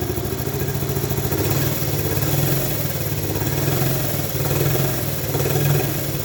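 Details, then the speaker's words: Honda ATC70 after rebuild, first start still cold on a remote fuel reservoir and CT70 coil: steady even putter, super quiet, no knocks or rattles; carburetor still needs slight adjustment; normal cold idle. "let's hear how it sounds oh yeah all right nice and quiet super quiet"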